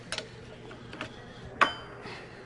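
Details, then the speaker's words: Caterpillar 3406 diesel after pin-timing the fuel injection pump: timing gears rocked by hand give a few light metallic clunks, showing normal backlash. "but there you can hear the gears clunking so i have backlash so we're in good shape"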